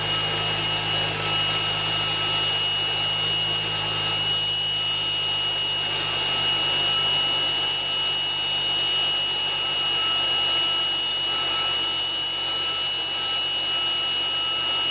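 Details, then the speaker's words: 2011 Mercedes-Benz C300, cold engine, 12-volt secondary air pump unplugged and powered directly: harsh steady high-pitched screech with whistle, like a circular saw or jet on cold start; secondary air pump bearing squeal, not pulley or power steering. "Well, I don't know what a good one's supposed to sound like, but that one sounds really noisy. So that is the issue. It's not a pulley, it's not the power steering, it's that."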